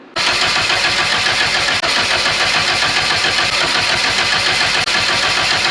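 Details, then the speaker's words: 1989 Nissan 240SX at idle, loud lumpy uneven beat, apparently running on three cylinders, dropping another below 1,000 rpm; misfire cause unconfirmed, spark, injectors and compression to be checked. "running on 3 cylinders probably. Then when it goes down below 1,000 RPMs, it cuts out another cylinder."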